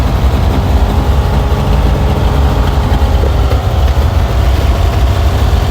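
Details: Vintage car's engine after a cold start, choke pulled: deep, steady low rumble with even firing and no skips or knocks; normal idle.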